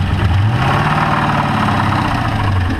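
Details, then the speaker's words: Engine chatter at idle on a Camaro-bodied car after oil starvation at wide-open throttle, with a possible spun bearing: lumpy idle with fast light chatter underneath. Shut down to check oil, which read full; cause not confirmed. "well I was getting ready to go and now I hear chatter so I'm going to turn it back off and check the oil again"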